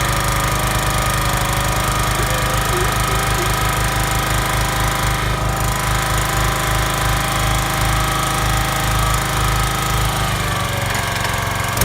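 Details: Kellfri ATV backhoe's Chinese single-cylinder engine on a test run with a damaged head gasket, after debris was suspected to have entered through the air filter into the carburetor: loud, fast, hard, uneven pounding beat; rough running.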